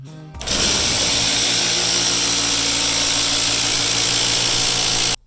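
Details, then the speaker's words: Genie Intellicode screw-drive garage door opener: loud, harsh, steady grinding roar when operated by remote; the carriage (black piece with silver arm the rope attaches to) has stripped internal teeth and needs replacing. "that is a nasty nasty noise so if your genie is making that noise then you have a stripped out carriage right here this black piece with the little silver arm that your rope attaches to it's got some teeth inside of there and they're stripped out"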